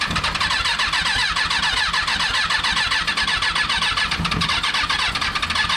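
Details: Rebuilt Kawasaki 636 motorcycle engine freshly installed: fast whirring crank with rapid uneven chuffing that never catches and settles into a run; the engine turns over but won't fire.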